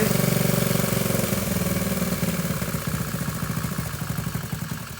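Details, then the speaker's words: Honda SL70K1 with a CT70-style high exhaust and a carburetor that needs to be taken off: the putt slows and fades over five seconds, firing unevenly toward stalling. The idle was turned down too far. "oh i idled it down too far"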